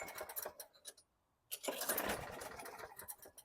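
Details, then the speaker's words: 2010 Lawn-Boy 10642 self-propelled 20in mower, 6.75 Quantum engine, poorly maintained and previously fixed: a few quick pops catch on the second pull, a short gap, another ragged burst, then dies; won't restart until five or six pulls. "See, almost on the second pull like it did before. And then nothing. Until you pull it 5 or 6 times."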